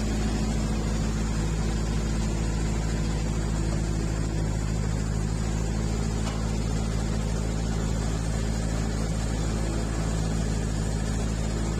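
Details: Bobcat 763 skid-steer loader after fixing the flickering lap bar seat light via repaired controller: steady even engine drone, constant low hum, no knocks or surges; running normally with hydraulics staying active.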